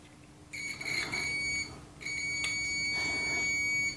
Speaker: you can clearly hear the beep and as i press the tone plate beep stops